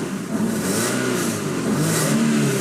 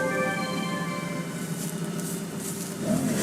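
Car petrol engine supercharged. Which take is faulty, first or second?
second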